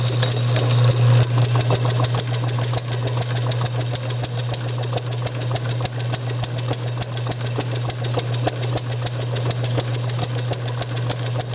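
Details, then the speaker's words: Bessemer model engine driven by an electric motor, with a borrowed carburetor, Hall-sensor spark at about 5–10° BTDC, run a little richer: steady motor hum with sharp cracks about three a second; it misfires and won't run alone, owner suspects lean mixture or compression leakage. "I wanted to post this video of my Bessemer model I'm still not able to get it to run but it is firing anyway"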